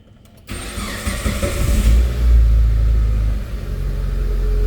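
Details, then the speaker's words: Proton Waja MMC idle stepper motor (buyer claimed no cold start), cold morning start with coolant at 21°C after settings were done the day before: catches at once, idle lifts briefly then settles steady; cold-start fast idle works, stepper motor has no issue. "Okey. Api yang ada naik sekejap. Okey. K start ada cantik34 macam tuulah lah. So stapper motor ni tak ada isu."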